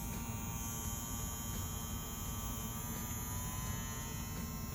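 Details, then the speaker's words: Dragonhawk Atom M5 rotary tattoo pen running without pushing a needle: quiet steady electric hum with a fine high buzz on top, smooth and low-vibration; healthy motor. "You can barely hear it. Trying to bring it up close so you guys can hear it. So low noise, low vibration."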